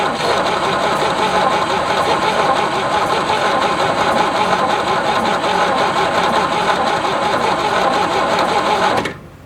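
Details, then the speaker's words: 1967 GMC C20 with 305 big-block V6, sitting at least 7 years, fuel poured into the intake: starter cranks steadily about nine seconds with no firing. Spark suspected; a loose wire was tightened earlier, points work, and it arcs at the coil wire. "check spark again was a little bit of a loose wire that I tightened up and got a spark out of it it sure isn't acting like there's any spark now is it nope"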